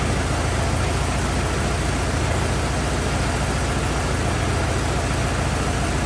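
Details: 1927 Ford TT truck, on battery ignition, choked after restart; steady, even low chugging at relaxed idle, no knocks or misses; oil leak, owner suspects loose hogshead inspection cover; good runner, normal idle.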